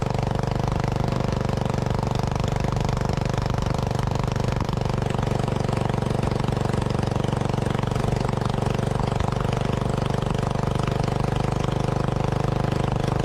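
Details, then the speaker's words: Old Lincoln Weldanpower AC/DC welder-generator, Briggs & Stratton 16 hp, sat three years outside, running on old leaky carb, about 110 V output: steady fast even thumping with no settling. Idle speed not being regulated. "plugged in an angle grinder it did run um it didn't seem to be regulating its idle speed"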